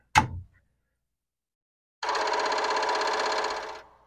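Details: Commodore PET 4040 disk drive: a power switch clicks, then after a pause a rapid buzzing rattle of head chatter runs for under two seconds. Drive 1 fails to chatter at power-on; its stepper platter just spins round instead of head banging.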